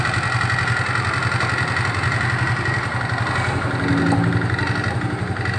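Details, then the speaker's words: Suzuki Nex scooter CVT running with cover open and closed: even low engine drone with light steady chatter, same sound either way, no grinding or rough whirr; normal CVT sound. "oke mas bro terbuka dan tertutup suaranya sama dan itu adalah suara wajar"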